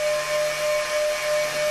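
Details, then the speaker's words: Upgraded Mk3.0 ZVS driver powering a high-current transformer (9:3 turns ratio, 14-gauge windings, fan) on a 10 A limited bench supply at low voltage: steady whine around 600 Hz with fainter higher tone over hiss; cause unconfirmed. "you might be able to hear that higher pitch or just whine."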